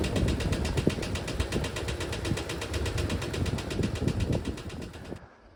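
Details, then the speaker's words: 1968 VW double cab transporter that sat 5 years, idling after being driven to the shop on a temporary gas tank: uneven idle with an irregular low knock under the exhaust beat. The knock is intermittent, seems to go away under load, cause not yet found. "it still makes this knocking noise, but it's kind of intermittent. you know, it kind of comes and goes and it seems to go away when there's a load on the engine."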